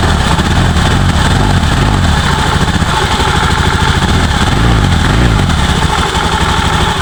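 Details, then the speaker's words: Honda Beat ESP scooter engine after rebuild for heavy oil consumption without smoke (scored piston and cylinder block), fresh oil added, first test start: steady low idle firing evenly, no misses or knocking; normal idle. "mudah-mudahan motornya awet dan tidak ngebul kemudian suaranya halus ya"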